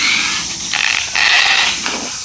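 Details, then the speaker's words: Used Traxxas E-Revo RC truck with steel center driveshafts, on 2S: harsh, raspy high-pitched grinding swelling and fading while driving; rear differential suspected gone. "but you can hear that there is a issue with it i think the rear diff is actually gone oh that's horrible"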